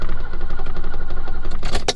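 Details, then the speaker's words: 1980s car that sat maybe a year after running out of gas, cranking: rapid, even cranking pulses, then sharp clunks as the door locks cycle on every start attempt, an electrical quirk; the owner suspects it has no fuel. "But every time I try to start the car, everything cycles. You hear the locks go."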